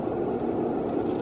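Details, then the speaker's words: Bathroom exhaust fan after the dead motor was replaced with a new replacement motor that spins freely. A smooth, even whoosh with a steady low hum, no rattle, scrape or wobble; it is exhausting air. Healthy after repair. "So I got the new motor, spins freely. And there we go. It is exhausting gases, so there you"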